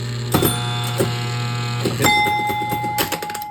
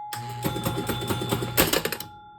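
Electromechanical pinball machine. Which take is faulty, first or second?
first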